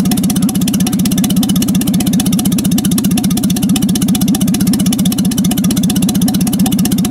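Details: Jaguar XK6 inline-six in a homemade aluminum boat-tail speedster, tuned after towing to the yard: smooth, even idle with a steady, quick exhaust pulse and no knocks or misses; normal idle.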